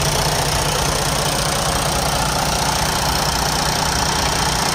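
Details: Detroit DD15 diesel truck engine at steady idle with a sharp, fairly even ticking knock about two or three per second over the rumble; bad high-pressure fuel pump, replaced.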